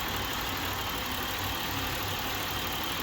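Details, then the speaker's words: 2007 Buick LaCrosse 3.8 V6 at idle with the EGR valve commanded open at 10% (1.2 V) gives an uneven, lumpy, rougher idle. Idle gets rougher as the valve opens further. "so under 10% you hear the idle's a little bit more rough cuz that EGR is opening up right now"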